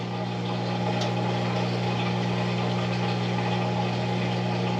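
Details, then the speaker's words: Bosch Nexxt washer WFMC4300UC/01 after replacing the drain pump for error E04, on drain cycle: steady, even low hum with water rushing through and no grinding or rattling; replacement pump drains properly with no leaks. "I can hear coming out the uh drain up the top into the drain got no leaks on the discharge pipe no leaks on the cover and the water is almost gone in the drum"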